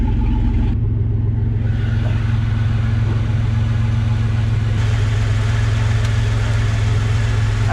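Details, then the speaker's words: Camaro V6 first start after the gas tank was refitted, with no exhaust: open right after the Y-pipe. Deep, loud, steady idle rumble with a raw boomy edge. Oil pressure is present. Normal open-exhaust idle with no muffler. "y, this has got no exhaust on it. It's just got the uh off the Ypipe. She sounds like a piece of crap six-cylinder."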